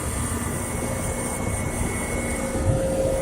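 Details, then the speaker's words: Trane XE1100 Weathertron heat pump from April 1999, running in cooling mode: steady rushing drone with a faint tone creeping in. Cause unknown; a capillary or TXV-related issue was vaguely suggested, not confirmed. Finding: abnormal noise in cooling mode. "lay on his own dirt her anybody knows what that noise someone says a capillary like I've I like can't play two or something one time"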